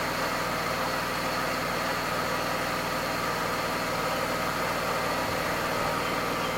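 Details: Mercedes-Benz W124 E320 M104 inline-six at idle, right after an engine oil, automatic transmission fluid, oil filter and air filter change: an even, steady, smooth hum with no knocks, ticks or misses. Running cleanly.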